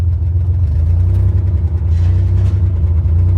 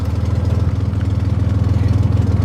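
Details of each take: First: 1963 Chevy Corvair driving in second gear after years unused, with no brakes. The accelerator pedal sticks, so the engine holds a high rev and won't drop back to idle while rolling. Sticking throttle. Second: 1963 Chevy Corvair idling after years unused. It holds idle, and the owner feels the carburetors are well tuned. A smooth, regular low pulse with no misses or knocks; normal idle.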